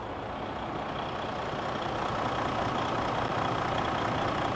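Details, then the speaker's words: Detroit DD15 truck no start after fuel filter change, started after priming with the priming tool, clutch down: big diesel settles into an even, steady low chugging idle, no misses or knocks; normal idle. "here we go we push the clutch down turn power on here right away it starts up so we got the truck Punk up"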